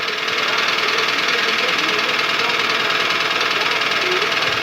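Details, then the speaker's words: Toyota petrol engine (2SZ per title, 2AZ per speech) idling with a steady hollow knock about three a second, piston slap. It eases as the engine warms but persists hot; decarbonizing with Dimexide didn't help. "мере прогрева ступни множество уходит но все равно на горячие стучит двигатель 2az в 313"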